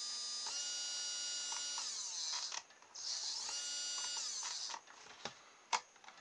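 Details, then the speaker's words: Small motor, probably a hairdryer motor with no voltage marked, powered from a dead cordless drill's battery and trigger as a variable supply; smooth whine rising and falling with trigger speed, no grinding or rattle, normal running. "this one doesn't have a voltage written on it it's probably one of my hairdryer motors looking at the size of it and that works alright I don't know if we can hear it but you can certainly hear the speed change"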